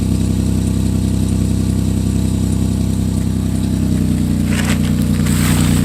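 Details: 2006 Chevy Equinox at idle before repair, old muffler (possibly original) broken off around the welds: loud, deep heavy throbbing exhaust beat with raspy edge; exhaust leak, fixed by muffler replacement.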